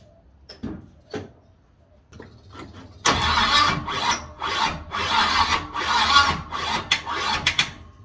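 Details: 350 Chevy V8 freshly installed in an HQ Holden ute, first start after priming fuel pump and cracking the choke, air cleaner off; a few cranking bursts, then catches and runs lumpy and uneven with ragged firing; ignition timing needs adjusting.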